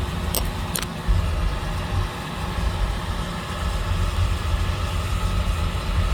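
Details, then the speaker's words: Home oil-fired boiler burner restarted after running out of oil, refilled and line bled: steady low roar with even, unbroken tone after light-off; flame holding, running normally. "You see, there's fire. Yeah, it started, guys. It started."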